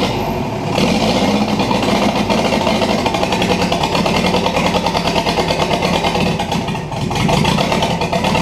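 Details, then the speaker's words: 1984 Toyota Land Cruiser BJ60 diesel, first start after sitting, injectors bled, 15 s glow plugs: catches quickly, busy clatter keeps climbing rather than settling, like it wants to run away; revs rising on first start, cause unconfirmed. "wow that was easy all right kind of sounds like it wants to run away on me there"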